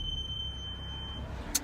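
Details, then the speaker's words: BMW M235i after caliper grease on the front brakes: a thin, steady high-pitched squeal holds about a second over low road rumble, then cuts out; the front brakes still squeal, and rotor cleaning is planned next. "I'm gonna try to grease them again, but as of now, I'm still driving a squeaky ass BMW."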